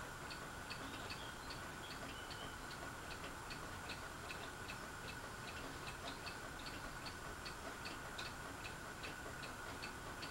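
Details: Fasco Vanity Fair ceiling fan with a broken flywheel, running on low: a light, steady tick about 2.5 times a second over the fan's hiss. The housing is loose; the owner thinks someone tried to remove the flywheel. Cause not confirmed.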